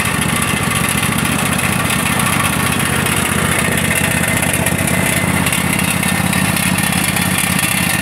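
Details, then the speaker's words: Craftsman DLT3000 lawn tractor petrol engine running on its own after ethanol fuel damage, with backfire prevention solenoid, main jet, fuel lines and tank grommet replaced: steady even low chugging, no knocks, slight smoke from water and oil in exhaust. "it the most craftsman runs doesn't run too bad is smoking there a bit some water and oil gotten exhaust and headed up on its side"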